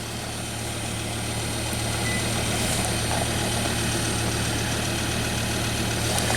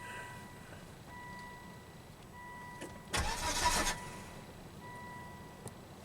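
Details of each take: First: 2005 Volvo V70, 212,000 miles, crank no-start case, running on a fuel pump bypass test with the pump full-fielded near 10 A: steady low rumble at idle, even beat, no misses or knocks; normal idle. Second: 2005 Volvo V70, 212,000 miles, sputtered and stranded while driving: under a second of starter cranking that dies away without catching; crank no-start, fuel pump circuit under test, test light initially not lighting while cranking.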